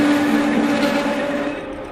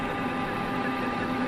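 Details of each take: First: Manual lathe parting steel at 460 rpm with cutting fluid: steady squealing buzz of parting-tool chatter from too-high spindle speed; fix is slowing to 300 rpm. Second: Manual lathe parting cut in steel with cutting fluid, after spindle speed was reduced from 460 toward 300–400 RPM: even, steady hum with no rattling chatter from the tool.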